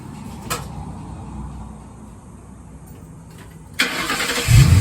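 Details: F100 with a Crown Vic engine swap, fire-up after fixing a loose-bolt ground issue, power steering line still holed: a quick crank, then the V8 catches cleanly and builds to a strong, even rumble, a normal start and run.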